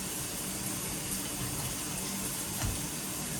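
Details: Delta shower after replacing the leaking, dripping valve with an off-brand mixer valve, temperature stop adjusted: steady water rush with no drip, hiss or chatter from the valve; running normally, leak fixed.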